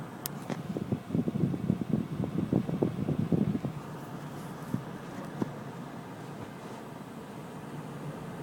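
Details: Early July-build Toyota 86 with check engine light: lumpy, uneven idle with irregular low thumps before settling. Recurred after a dealer visit; fixed by replacing the overhead cam oil control valve (OCV) solenoids, found faulty from factory.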